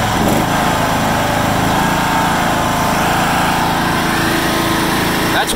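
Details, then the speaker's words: 1996 John Deere LX176 lawn tractor, Kawasaki engine, first start after sitting several years on old gas with a 9-year-old battery on a jumper: steady, even drone at wide open throttle, no surging or sputtering; normal full-throttle running. "wide open right there. It's not surging or sputtering, so I'm pretty impressed."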